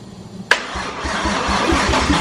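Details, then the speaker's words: 1JZ engine, first start after install: click, then sluggish uneven cranking about four thumps a second, too slow to fire; weak battery suspected, starter also sticking. "STP sounds like it's not turning over the battery's probably getting a little weak"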